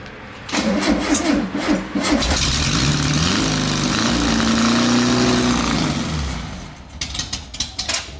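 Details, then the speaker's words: 1973 Volkswagen Westfalia bus, first start after sitting 23 years in a shed, with new-old-stock spark plugs: it cranks, catches and runs lumpy and uneven with rev flares; it runs rich. "Woo! Yeah. Yeah. She runs rich."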